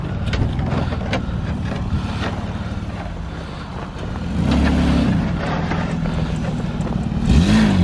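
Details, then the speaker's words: Mazda pulling away after flux-core MIG welding of the exhaust gasket leak; soft low engine hum rising gently, no puffing, ticking or rasp, exhaust sealed and quiet. "wow that thing is quiet a look at that just peeling off like it's his day job"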